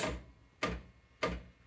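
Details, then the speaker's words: Ascaso Steel Duo PID V2 espresso machine, steam turned on: sharp hollow knocks about every 0.6 seconds that grow fainter as boiler pressure builds; normal steam startup knocking. "And so that knocking eventually gets fainter and fainter until presumably some pressure builds up."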